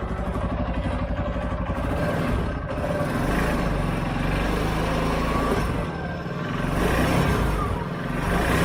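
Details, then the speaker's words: 2013 CFMOTO Z Force 6 after a fuel pump change, with 45 PSI and the filter primed but the tank probably low on fuel: uneven but steady engine note rising and falling with throttle, no misses or knocks; running fine. "There it is. It runs. Runs really good."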